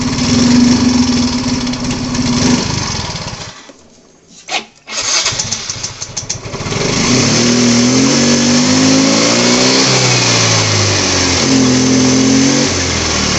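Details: Yamaha Mio Fi 125 scooter that suddenly won't take throttle: idles evenly, then the note collapses and nearly dies when the throttle opens before recovering; caused by an intake manifold air leak.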